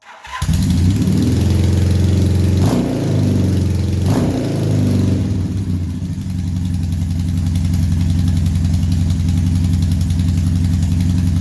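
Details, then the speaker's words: 1978 Honda Hawk cafe-racer build with automatic transmission, new exhaust: engine idles with a faint puffing tick at the header joint, a small exhaust leak; header was off-centre when slid into the head. "Well, other than a small amount of exhaust leaking here, I don't think I have this tight all the way. It actually has a good tone."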